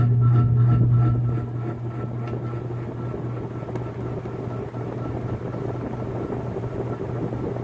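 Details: Antique Century closed-top 60-inch ceiling fan, late 1910s–early 1920s, started 0 to high, camera close to motor: loud low hum easing into steadier drone with faint rhythmic pulse; noisy startup, owner suspects winding or loose parts.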